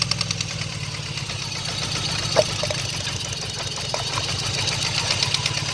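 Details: 1995 GSX, first startup after sitting over a year, headers burning off: rough idle with steady regular light knocking from back corner of the engine; owner suspects rod knock or spun rod bearings, unconfirmed.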